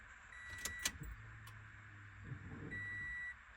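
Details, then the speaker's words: 2013 Scion FR-S after engine rebuild, fuel relay reinstalled: key clicks, then a faint low hum for about a second and a half before chimes; fuel pump priming normally before first start. "So, wishful thinking. If I did this correct, my fuel pump should prime when I turn the key and the car should technically start. All right, let's let's see if the fuel pump primes."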